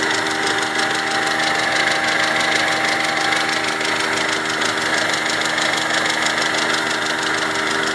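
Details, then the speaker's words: Mazda 626 at steady idle with the radiator fan running: fast dry chatter about three ticks a second, possibly a hydraulic lifter or not, unclear; oil-like moisture found between engine and gearbox. "Какой-то очень странный стрекот. То ли гидрокомпенсатор, то ли не он. Не очень понятно."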